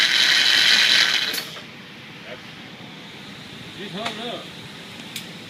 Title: Starter Motor hear the grinding noise after start up